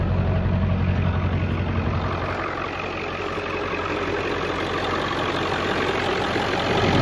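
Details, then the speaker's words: Diesel idling at startup after fitting CNC Fab high-pressure oil crossover lines: steady low idle with a soft, even clatter over a deep rumble; the idle is about the same as before, but the so-called knocking noise is not as loud. "all right so I don't know about y'all but as far as startup I see about the same idol I can't tell a slight difference it's not as loud like as far as what people call the knocking noise"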